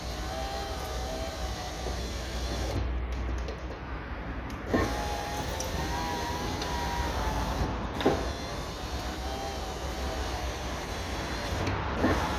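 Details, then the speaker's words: 1999 Seat Toledo Mk2 1.9 TDI AHF 110hp power window after repair: smooth, steady motor hum with soft clicks at the ends of travel, no grinding or cable scraping; the noise came from a cable badly wound on the motor and is gone. "y como veis ya hemos quitado este molesto ruido que tenía la ventana Al subir bajar puesto que era el cable que estaba mal enrollado en la del motor"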